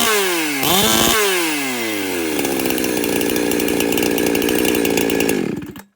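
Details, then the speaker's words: Chainsaw with the high-speed screw turned a further turn in: snaps up and holds a hard, thin, high "wham" scream at full throttle with only a slight rattle up top, sounding unhealthy and asking for fuel; lean high-speed mixture. "There was still a little bit of a rattle up top, but you can hear it's like wham, wham, like it's screaming. It's asking for fuel."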